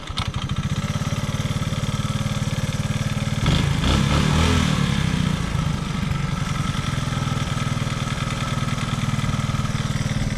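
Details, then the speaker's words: Honda ATC185 three-wheeler with a cheap carburetor: a single-cylinder fast idle about four beats a second, slightly uneven with a brief surge midway. Idle is still high and wonky; owner is considering a different slide carburetor. "Idle's still high. It's still a bit wonky."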